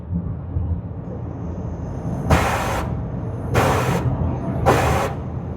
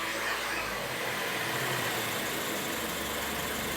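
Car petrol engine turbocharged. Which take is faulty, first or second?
first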